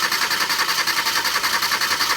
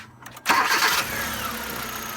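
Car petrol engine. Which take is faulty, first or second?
first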